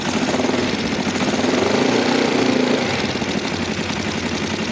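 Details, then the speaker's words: Kawasaki GPZ 500 café racer twin that starts very hard, especially in the mornings, and misfires: loud, lumpy idle with uneven pulses and heavy vibration, as the carburetors are badly out of balance. Carburetors out of sync. "Está bastante descompensado. Lo único que es que vibra mucho."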